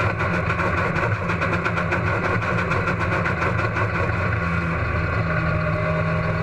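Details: Race car engine at Huntsville Speedway: loud, low drone with uneven pulsing in the firing beat; engine misfire, cause not evident.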